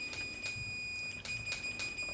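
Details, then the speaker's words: Tone King Falcon amp, built late 2013, with a hum and buzz fault traced to ungrounded pot casings: a steady high-pitched continuity beep over light probe clicks when the tightened pot's back is tested against a chassis ground bolt; good ground. "Right, now get your meter, continuity test, and use a known ground point on this chassis. You see how it's got a bolt here? This is actually chassis ground."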